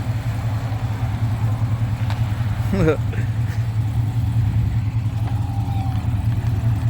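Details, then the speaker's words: Exhaust of a freshly built car on its first fire-up, run briefly with no coolant in it and trans fluid checked; deep, even burble held steady without rasp, drone or rattle; resonator added because it was too loud without it; normal exhaust note. "Sounds really good. That sounds super good. Heck yeah."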